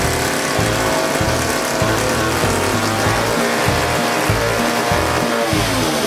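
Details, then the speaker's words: 1956 Eclipse Wasp two-stroke chainsaw after carburetor cleaning and reassembly, first run: holds a fast, buzzing unloaded speed instead of a slow burble; idle set too high, high-speed needle then opened as it seemed to run lean/out of fuel. "well I got an island way too high let me back that down a little and let me open up in this high speed because I think it just ran out of gas"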